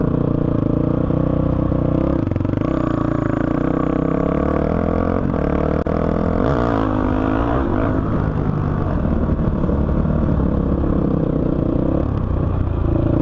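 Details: 2005 Honda CRF450X single-cylinder that sat 10 years, ridden after richening the needle one notch (two from bottom) and raising the main jet to 190 with a 45 pilot: pulls cleanly through the revs, crisp pickup, no bog or stumble; running great.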